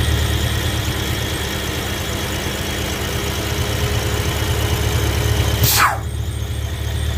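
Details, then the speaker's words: BMW E70 X5M (S63 engine) at idle with the earlier catch-can setup: steady high squeal like a slipping belt from under the car; excess crankcase vacuum is sucking air through the front main seal. "if you could hear the the squealing or chirping type noise from underneath the car uh it sounds like as if the belt is slipping but it's not actually the belt it's actually the crankcase sucking in air through the front main seal"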